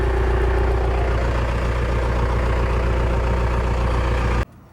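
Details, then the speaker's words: Cummins-powered truck after a 5-speed swap, with insulation added around the shifter and floor. Heard cold from inside the now-quiet cab: steady, even diesel idle at a low, regular beat, no knocks or misses; normal cold idle. "And it's even cold too. Yeah, I just hear the truck on the outside. I don't hear it through in here anymore."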